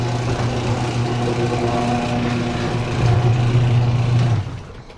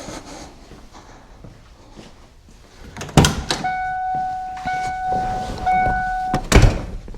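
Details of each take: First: 1992 Ford Mustang LX, 434 stroker: the starter drone builds, then stops abruptly while cranking as voltage falls below the threshold of the MSD box and A1000 pump controller. Low battery voltage; owner suspects the new red top battery is bad. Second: 1992 Ford Mustang LX, 434 stroker, MSD ignition box and A1000 fuel pump, key on before cranking: after door chimes, a steady low electric hum. The fuel pump is running normally with power, though battery voltage reads slightly low.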